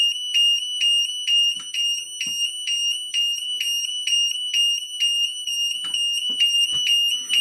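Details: Burglar alarm sound bomb and strobe in a vented bell box, test run: a loud, piercing electronic tone pulses about twice a second, steady and unbroken, with the strobe lighting the whole case, so the siren is working normally.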